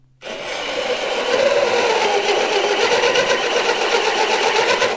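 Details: Hole saw cutting slowly with drill in drill mode (no clutch), low trigger pull, constant pressure: steady even grinding rasp with soft regular pulse, no rising squeal; clean cut at proper slow speed preserves the bit.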